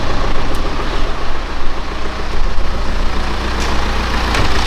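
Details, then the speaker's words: BMW E87 1 Series with N47D20 177 hp diesel, brought in for suspected timing chain noise, after reassembly: steady, smooth idle with no knocking or ticking, noise gone though an internal engine issue remains; normal idle. "as you saw guys after assembling everything uh it looks like that the sound is gone"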